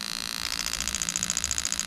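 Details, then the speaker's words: Lexus LS400 (1992–94) wiring harness test with an automatic gearbox: each injector is triggered one by one, giving crisp, even ticking at about a dozen clicks a second over a faint hiss. The injector is pulsing normally. "right while i'm here i'm just going to go through and we're going to do all the injectors so you should be able to hear it over the spark plugs go in but we'll just go from there"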